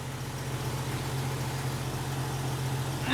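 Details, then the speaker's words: Jeep Cherokee XJ inline-six just after installing new Alloyworks aluminum radiator (replacing leaking junkyard ones): smooth, steady low idle with even beat, no ticking, knocking or hunting; normal idle. "it's funny about that things don't leak when they're not broke the old jeep sure runs good"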